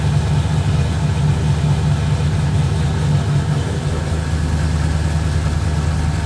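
Steady, deep, even idle with a firm low rumble and no misses or knocks; the engine is running cleanly.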